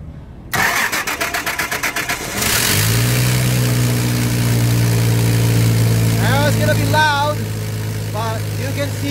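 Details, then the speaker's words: Komatsu forklift, Nissan TB45 inline-six, losing power at higher RPM; cranked with oxygen sensor removed, vacuum gauge now at 20 inHg; loud, raspy steady idle venting from open sensor port, confirming restricted exhaust, most likely plugged catalytic converter. "so this is now going to be a plug ex sauce now whether it would be the um catalytic converter which more likely is what it is"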